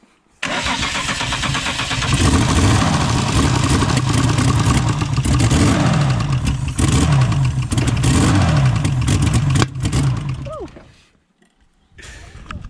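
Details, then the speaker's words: Holden VL Commodore that still won't start; injector cleaner added to the fuel tank and deodorant sprayed into the intake; starter cranks evenly about four turns a second, catching briefly but not running; owner suspects a fuel problem. "so what's it's a fuel problem very close to starting i think an injecting cleaner helped a little bit"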